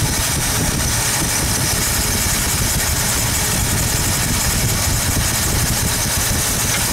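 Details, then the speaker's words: 1972 Ford 302 small block, valves adjusted while running: rough, uneven idle with an irregular skip as an over-tightened hydraulic lifter holds a valve open, killing that cylinder until the extra oil pumps out. "basically holding that valve open. And if you wait a second, the extra oil will pump out of that cylinder."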